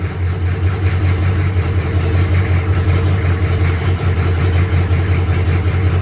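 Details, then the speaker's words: 1983 K5 Blazer with a swapped diesel, first start after 10–15 s of glow plugs: a deep, steady diesel clatter at an even idle with no misses or knocks, holding 40 psi oil pressure. It runs beautifully. "Okay. it cranked and it ran beautifully at 40 lbs oil pressure."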